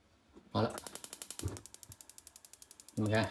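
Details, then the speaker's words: Shuaikang gas stove after repair: the battery box contact was rusted and broken, then cleaned with a new metal tab soldered on, and the air damper adjusted; rapid igniter ticks with a soft whoomp as the burner lights at once. "们看一打就着。好，这边也可以了，那就行了啊，没问题了。"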